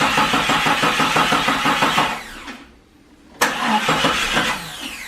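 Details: 1997-2001 Jeep Cherokee XJ after a new paint job: the starter cranks steadily at about three turns a second in repeated bursts but never fires. The battery is charged and the fuel pump is heard running; the owner suspects the crankshaft position sensor, possibly the camshaft sensor, unconfirmed.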